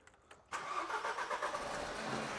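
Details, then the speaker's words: Small diesel, hard to start: after a brief crank the engine catches and a loud metallic rattle comes from inside the top end; worn timing chain, not cured by an oil change. "so it's hard to start and there's a awful rattling noise from inside the engine beer that is basically a timing chain"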